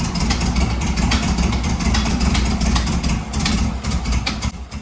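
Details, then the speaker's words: Volkswagen Beetle rebuilt 1300cc air-cooled flat-four, first start, carburetor being adjusted, oil pressure light slow, no generator light: uneven stumbling idle with no steady rhythm; running choppy, cause not yet clear. "Right now, I'm just playing with the carburetor, making sure that everything is good. right now it's sounding really choppy and it was one of the first things that I noticed."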